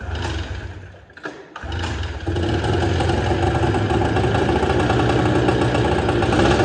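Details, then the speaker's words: Arctic Cat Jag 3000 two-stroke snowmobile, long abandoned, just restarted after stalling (suspected bad gas in carb): busy idle with a repeating clank about four times a second, gone after a minute; owner suspects a stuck hex clutch. "I don't know what that clicking was. Didn't sound good though."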